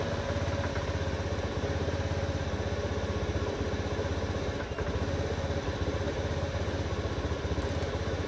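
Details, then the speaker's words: Honda Beat FI (new model) that stumbled from low to high rpm with no fault code: after a dirty connection at the regulator/rectifier (kiprok) was cleaned, it gives a steady, even putter at idle with no misses and revs freely. "teman-teman Alhamdulillahi motornya udah normal bisa digas"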